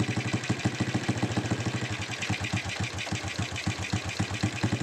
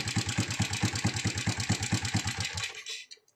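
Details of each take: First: Honda Supra X 125 motorcycle that had a loud rattling "kletek" engine noise, after the repair was assembled and the engine started. The engine settles into an even idle and revs smoothly; the rattle is gone and it sounds normal. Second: Honda Supra X 125 idling with a loud engine clatter complaint: a loose metallic rattle in time with the engine from a slack cam chain. The cam chain tensioner vibrates and had been welded; turning it made the engine smooth only briefly.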